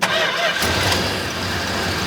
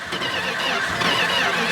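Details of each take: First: 1969 Dodge Charger General Lee V8, restarted after sitting many years and topped up with transmission fluid (two quarts, low), idling in neutral: fires up and settles into an even, smooth, steady idle with no misses or knocks; normal healthy idle. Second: 1969 Dodge Charger V8 with remanufactured Holley carburetor, sat for years: starter churns steadily a couple of seconds without catching, choke open; accelerator pump diaphragm suspected; it later fires and runs.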